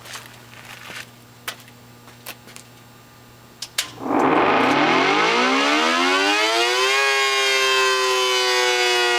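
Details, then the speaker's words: Test run, before restoration, of a 1960s second-generation Federal SD-10 air raid siren on three-phase 220 V, switched with the breaker instead of a contactor. After a few clicks the wail rises smoothly to a steady even tone: healthy motor run-up. "I'm going to run the siren up for one cycle and then let it wind down, and that will be the first test, just to make sure that the motor seems to be all right."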